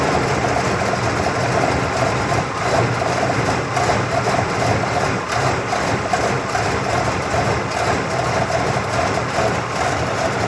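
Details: 1979 Cadillac Coupe DeVille V8, cold start at about 45°F after sitting two days, no throttle: very lumpy idle swelling and sagging irregularly until it warms up and smooths out; cause unknown.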